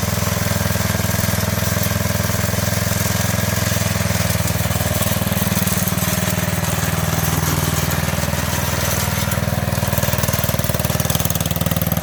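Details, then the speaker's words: 1985 MTD two-stage snowblower, single-cylinder engine run with half the housing off after a carburetor adjustment: steady, even putter at fast idle with no misses or surging; runs healthy. "Okay, so now we're going to check out the other half of this thing, and it has actually, it ran and everything. I just had to adjust the carburetor a little bit"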